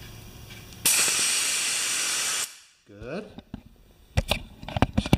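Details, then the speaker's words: Air compressor revived after sitting 8 years, testing the relief valves: loud steady rush of air for about two seconds, then cuts off cleanly; relief valve venting normally. "I'm gonna stop it at 25 pounds and we're gonna just see if we have control with these relief valves"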